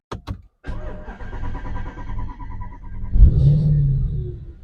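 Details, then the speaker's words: Audi S5 V8 after in-tank fuel pump replacement with new Bosch pump (suspected tank pump fault from code): pump primes, couple of clicks, short crank, then catches cleanly into a firm even idle; normal start. "let it prime a couple of times just get the fuel through and then when we key on we should stop that is a really good sound"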